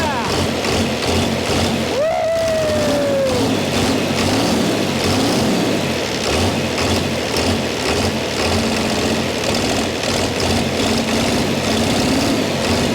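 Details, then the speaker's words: Chrysler (Mitsubishi 6DS70) six-cylinder marine diesel, stored for years in a barn, first run after the injectors were bled until fuel reached all six: steady, even idle with a smooth low beat and no misses or knocks. "that is awesome I am super excited about that we saved this engine from the scrap Hopper"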